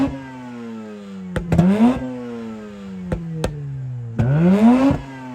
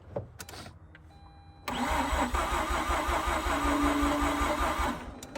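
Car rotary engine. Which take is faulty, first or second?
second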